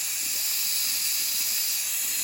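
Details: Nuwave 13qt electric pressure canner after canning bacon ends, valve turned by hand for manual release: steady high-pitched hiss without sputter, steam venting evenly through the release valve; normal.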